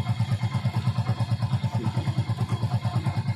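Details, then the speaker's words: Hero Splendor Pro bike engine idling: rhythmic clatter about three beats a second, worse when warm and in cold weather; attributed to the timing chain roller rubber going hard, causing the sansanahat noise. "काफी ज्यादा rubber hard हो जाता है इसके problem से engine के अंदर से सनसनाहट का साउंड आने लगता है"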